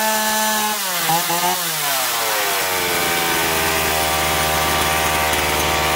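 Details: Chainsaw that surged and lacked power, after carburetor cleaning with both L and H screws set one and a half turns out from seated; revs up cleanly without bogging, then holds a steady high whine through the cut: running properly.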